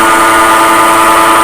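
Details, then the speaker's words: Grizzly G0733 18x47 lathe bought June 2012: a loud, constant high whine with several steady tones, worsening over weeks, with vibration. The motor is quiet when disconnected, so a bad headstock bearing is suspected. "it's got progressively worse a lot louder I can feel the vibration think we have a bad bearing here"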